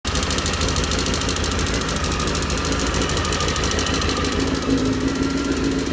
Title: Стук в моторе CBR 919 RR